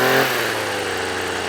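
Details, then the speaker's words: Two-stroke strimmer that wouldn't start on suspect contaminated fuel; now on fresh fuel after choke and primer, a brief blip then a steady fast high-rev buzz, run fast to burn off smoke, even and clean. "So I've got it running quite fast at the moment, burn some of that off."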